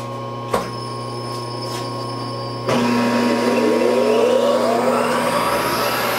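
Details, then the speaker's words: Supermax YCM-16VS milling machine (Bridgeport clone) in neutral and high: steady geared hum, then louder rough whirring with a rising whine from the lower spindle gearbox, same without drawbar and tool; source unknown, gearing or timing belt suspected. "back into neutral i can hear something and if i take the power drawbar out and the tool it does the same thing"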